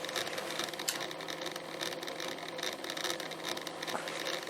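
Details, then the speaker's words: Aristone tabletop radiogram turntable running on a variac at 170 V: loud, rough whirring hiss with faint uneven ticking; the drive is noisy, and the idler shaft is to be cleaned and re-oiled. "Oh yeah. Noisy bugger. But that's cool."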